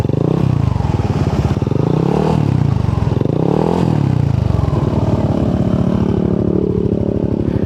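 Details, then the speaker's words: Yamaha NMAX scooter with 4S1M Street Core V3 exhaust after the muffler was repacked with fiber wool and rewelded: two blips, then a steady deep idle with a clean exhaust note, the loud rattle now gone. "Yan ang sounds. Wala na masyadong ayun na yung kalansing na malakas."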